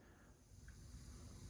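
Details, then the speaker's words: TEAC V-1050 cassette deck playing back a blank tape, amplifier at about half volume, Dolby noise reduction off: a steady, even hiss over a low rumble with no tones or dropouts, ordinary normal tape hiss. "Мабуть, ви чуєте це шипіння."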